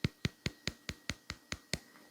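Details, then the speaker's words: Samsung Z Flip 6 inner display flexing, compared with the Z Flip 5: ten sharp, evenly spaced creaking clicks in a quiet room. Owner attributes the difference to thicker glass and fears cracking; unconfirmed. "there's a difference there's a proper difference there and that's basically this class being thicker"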